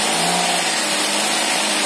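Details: Daihatsu Ayla first start after water got into the engine and teardown; check engine light clear afterward: steady, even engine hum, no knocks, misses or surges; settles to stable idle.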